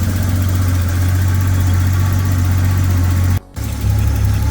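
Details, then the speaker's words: Datsun 280ZX Turbo (L28ET) warming up; idle dropped from 750 to about 500 rpm (650–750 normal for this car), deep, slow, loping idle; idle speed too low, may need adjusting. "okay so the car is warming up and I noticed the RPMs did drop a little bit it went from 750 to about 500 you can hear it loping or you hear it yeah we're at about 500"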